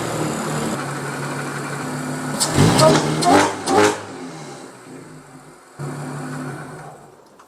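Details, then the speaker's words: Audi S4 with codes for cylinder 1 and 2 misfires and intake manifold runner stuck closed on both banks. Throttle blips over an uneven, lumpy, stumbling idle: misfire. Coils, plugs and valve cover gaskets need replacing. "like I was saying it is not the happiest it definitely has a m misfire"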